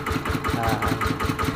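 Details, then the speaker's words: ET110 engine after rebuild (white smoke on acceleration traced to crankshaft, reground), normal idle after repair: even, steady thumping with no knocks or misses; smoke on revving now gone, running normally. "อนี้รอบปกติครับเคครับอ่าปกติดีฮะ"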